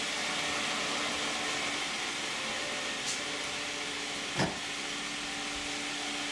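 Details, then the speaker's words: 2010 Toyota Camry 3.5 V6, 93,000 miles, cold start, heard from outside with the hood closed, Pennzoil Ultra 5W-30 and Wix filter. Just a soft steady hum and hiss with no ticks or knocks; normal, quiet idle. "I think it sounds pretty quiet. It'll be interesting to hear how the video sounds."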